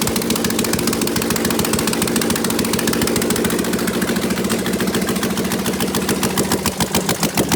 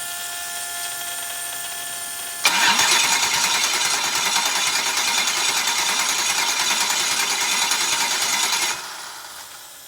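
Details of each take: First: Prepped V8, open headers, open loop, mass airflow sensor unconnected, old thin oil giving about 32–36 psi at idle: lumpy loud idle with even steady firing pulses, no knock or tick; healthy. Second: Freshly prepped engine (new alternator, tensioner, serviced injectors), cranking after new crank position sensor fitted: starter whirrs about six seconds with even compression pulses but never fires, no spark; later found two bad crank position sensors.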